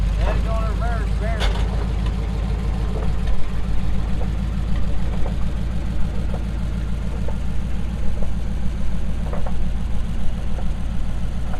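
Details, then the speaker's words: Early Ford drag coupe, second gear destroyed by a missed shift, hard to get into gear while driven off the trailer: uneven lumpy beat with a spinning whir underneath; owner suspects clutch damage too. "And it sounds rough. It sounds like the clutch might be damaged also, because I can hear it spinning in there."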